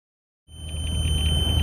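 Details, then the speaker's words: 1997 Mercury 40 HP outboard on a 1989 Bass Buggy, running: shrill steady warning beep over engine rumble, randomly after about 5 minutes riding, seems to stop in neutral; oil float sensor already repaired, cause unknown. "so this is a 1989 bass buggy with the quicksilver and it makes this consistent beeping noise um every once in a while like it it goes for 10 minutes or five minutes and then it stops"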